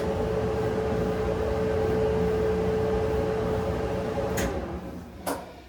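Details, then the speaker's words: Maytag electric dryer after removing a caught zipper pull that caused thumping; steady even drum rumble with faint hum and no thumping, a couple of door or handling clicks near the end; running smoothly. "Oh, yeah. That's what I'm talking about. Smooth as silk. Listen to that. She's a runner, guys. Okay, no more bumpy ride."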